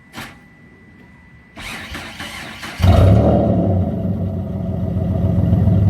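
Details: Mitsubishi 3000GT SOHC with gutted catalytic converters, some exhaust fasteners snapped and a thicker gasket fitted: clatter then loud raspy deep idle; owner hears something, suspects slight exhaust leak or just gutted-cat noise.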